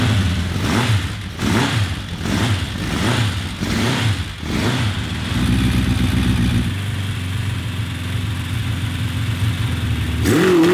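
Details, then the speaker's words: 1982 Honda CB750 engine for a cross kart, carburetors reassembled: mean idle, sharp blips climbing to about 4,000 rpm then going flat and hollow; bogs at high rpm, carburetor doubted, timing or exhaust restriction to be checked. "i really like the sound of this bike it sounds mean idling and then up to like four grand and then it just falls on its face"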